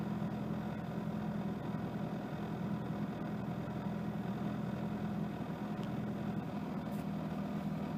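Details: 1992 Mitsubishi Lancer GTi, newly installed KIFECO MAF sensor after earlier rough idle and power loss fixed: smooth, even idle with steady low drone, no misses, stumbles or hunting, running from cold start toward operating temperature.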